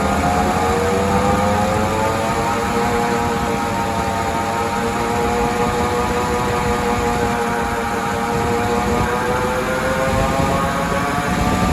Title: Bad wheel bearing